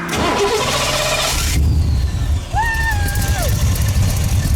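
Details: Cobra after a roadside breakdown, suspected knocked-off fuel pump hose refitted: engine catches and settles into an even running rumble with no stumbling; normal start.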